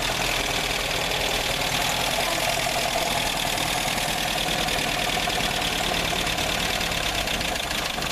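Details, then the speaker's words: 1960 Nash Metropolitan petrol engine freshly started and warming up: even steady running with a little gas, no knock or miss; idle needs setting up a bit; normal. "Get a little gas. Let's let her warm up. Let's let her warm up real good, Richard."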